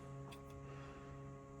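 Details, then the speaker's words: 2025 Ford Bronco Sport Big Bend, faint steady whirring hum with a few fixed tones when door opened or started; LED headlight cooling fans running normally. "You hear that buzzing noise? If you have one of these and you don't know [music] what it is, it's for these uh LED lights. Whenever you open the door, the lights come on. Start it up, the lights come on. They're cooling fans that run."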